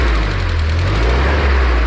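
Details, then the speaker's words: GAZelle 3302 with ZMZ-405 petrol engine, cold-started in neutral after sitting about five days, idling with a steady drone and faint top-end clatter from hydraulic lifters; thinner-viscosity oil used, about 5,000 km on it. "учетом нейтраль о как брякать порошок прямо слышно что он вот может даже 2 джаз"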